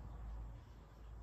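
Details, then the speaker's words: Trabant with EBZA electronic ignition, cylinder 1 plug grounded, crank turned slowly by hand in quiet room: one sharp snap at 2.5 mm before TDC, spark at set timing; a second snap turning back is coil 2 discharging. "wenn ihr hin und her geht und ihr hört zu zweimal knacken das ist einmal die Zündspule 1 und das zweite knacken beim zurückdrehen ist dann die Entladung auf Zündspule 2 also hier nicht irritieren lassen"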